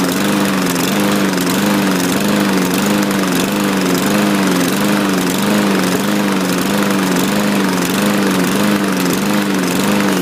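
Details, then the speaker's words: Craftsman walk-behind mower with the MyStride pace control system, bought used: runs steadily but its note hunts about once a second, rough and uneven; owner thinks it needs a carb clean. "i didn't do that when he started it sounds like uh needs a carb clean"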